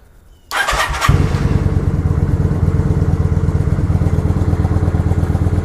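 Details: Kawasaki Vulcan 900 V-twin, first start after reinstalling the gas tank and priming the fuel injection: quick crank, fires up and holds a steady loping idle with even pulses, no stumbling; normal start and idle.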